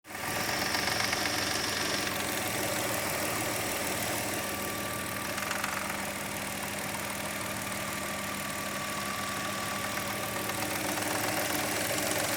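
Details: 2003 Hyundai Tiburon at idle: light, uneven rattle near the timing belt that comes and goes; owner suspects the tensioner or belt, unconfirmed.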